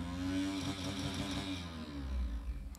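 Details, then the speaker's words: Scrapyard HP IDE CD-ROM drive spinning a CD: a loud droning spin with a wavering hum and buzzy rattle as the whole drive shakes. It still reads the autorun; cause unknown, and the drive is to be opened. "oh stop stop stop something is not right okay I guess the CD is okay but I don't think I want to use this drive for any of my original CDs or any CDs for that matter"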